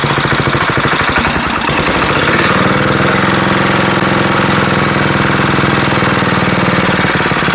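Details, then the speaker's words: Abandoned Wisconsin AENL air-cooled single-cylinder 9.2 hp engine pops roughly, then climbs to a high, hard-held speed; governor not controlling it, the arm must be held back or it revs to the moon; governor fault, over-revving. "Wow, I didn't think it'd start that quick. Yeah, it does have a governor issue on it. I have to hold the arm back on it, otherwise it wants to rev to the moon."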